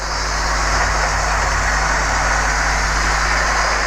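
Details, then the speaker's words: OO-gauge Lima Class 40 model loco after wheel and motor clean, oiling and new couplings, running around the track: steady even whirr at constant pitch, no surging or grinding; running really well. "There you go, hopefully you can see it running around the track now. Running really well."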